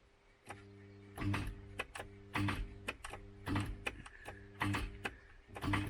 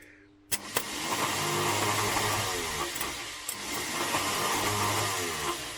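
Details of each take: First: MK3 Ford Cortina with seized Kent engine, starter tried to free it: short clunks with brief hum about once a second, never turning over; starter pinion completely locked onto the ring gear. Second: MK3 Ford Cortina Kent engine, previously seized, starter re-freed while rocking and pulling on a bar: a click, then smooth even whirr; the rattly bearing noise has stopped.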